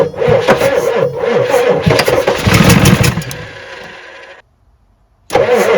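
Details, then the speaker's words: 1986 Ford F350 6.9 IDI diesel with no glow-plug power, dosed with ether: sluggish, uneven cranking under four turns a second that stops and resumes without catching. The starter is dragging. "Cranking a little slow. It wants to live."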